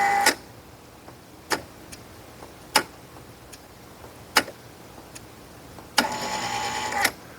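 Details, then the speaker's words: 115 V Kustodian Plus lane machine, squeegee up/down error, test output 11: the enable relay clicks every second or so, but the squeegee brake motor only whirs briefly. Causes found were a bad relay and a broken, taped neutral wire splice. "The relay's clicking. I can hear the enable relay. Sometimes the motor wants to run. Sometimes it doesn't. Weird."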